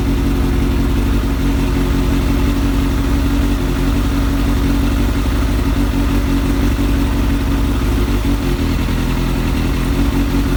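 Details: Kawasaki ZX7R sportbike four-cylinder, being charged after sitting on a 2-year-old battery the owner suspects is ruined, holds a steady even tickover with a smooth low drone and no knocks or misses; normal idle.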